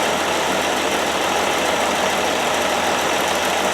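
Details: 1969 Land Rover Series 2a six-cylinder, rear cylinders previously misfiring, after spark plugs checked and refitted: even steady idle, smooth continuous hum, no skips; all cylinders firing.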